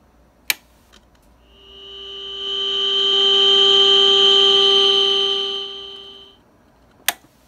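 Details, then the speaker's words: Zenith 412V AM/FM radio, reassembled after repair, playing a generator test tone before AM calibration: a clean, steady tone with no hum or crackle; normal test tone reproduction. "we're going to turn on the radio we're just going to check to see if we're going to hear that tone should be coming through just fire this up right quick"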